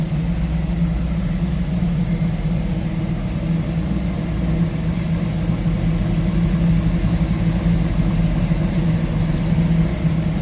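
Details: 1929 Ford Model A street rod, 283 V8 with three deuces, Edelbrock intake, roller cam, headers, 700R4 automatic, idling with hood open: deep, even burble at steady idle speed, no knocks, misses or ticks; running healthy.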